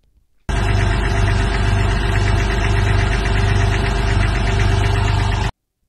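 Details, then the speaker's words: Seller's recording of a Cabriolet convertible with hardtop, listed on Facebook Marketplace: fast metallic clatter about three or four a second over a heavy idle rumble; clanking attributed to metal parts lacking lubrication, not confirmed. "so the reason why you're hearing clanking is uh engines have a lot of metal parts and these metal Parts require lubrication to keep them from banging"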